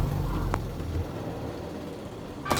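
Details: Semi-automatic washing machine after the clothes were rearranged properly in the spin compartment: a steady, even, low rumble of a smoothly running, balanced spin, with the earlier odd noise gone.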